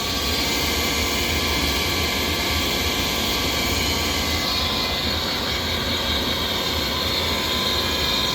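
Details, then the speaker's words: Rheem furnace's old inducer motor, extremely noisy while the unit still works and replacement recommended: a loud, harsh hissing roar with a high whine over a low hum. The noisy inducer motor is the finding. "All right, guys. Hear that? This is the sound of the old motor."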